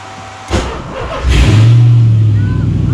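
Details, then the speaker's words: 1986 Mazda RX-7 FC with swapped 5.3L LM7 LS V8, tuned OEM PCM, after wiring rework, started via ignition and fuel switches: brief crank, immediate catch, steady even low rumble; a clean, quick normal start. "Oh my goodness, that is too easy. Too easy."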